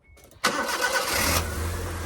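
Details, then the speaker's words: Cheap saved scrap car with small Mitsubishi-belted engine, first start after cambelt and auxiliary belt change: short crank, immediate catch, steady even idle with no knock or bang; the job is good. "Didn't go bang. That sounded... Job's a good one."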